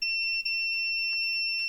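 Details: AXUS USB keyboard with no power, continuity test on the USB cable's black wire while wiggling it: a high beep holds nearly throughout with one split-second dip; conductor reads good.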